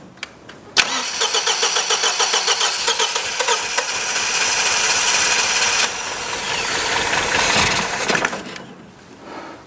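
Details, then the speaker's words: 1977 MGB off the road for many years, on its first start attempts; starter churns steadily at about four turns a second and the engine coughs but won't catch; ignition timing is off. "it coughed that's the first time it's done that let's try again [Music] oh we're close oh we're close"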